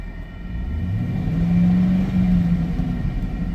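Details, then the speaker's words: Automatic transmission, fluid topped up and visible on the dipstick: engine revs and climbs with nothing taking up drive, no movement in drive or reverse, second barely engages with grinding or screeching underneath; transmission not engaging. "it doesn't go anywhere. If I uh put it in reverse, let me try different gears. Hold on. Got nothing. It goes in second kind of. It sounds like it's grinding though."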